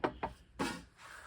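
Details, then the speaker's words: Subaru 5-speed manual buggy transaxle with a 4.86 2WD reverse ring and pinion. The ring gear is bolted in before backlash adjustment, and rocking the gears by hand gives sharp hollow clunks from excessive ring-and-pinion backlash. "I've got bolts through here and here, and you can hear the excessive backlash."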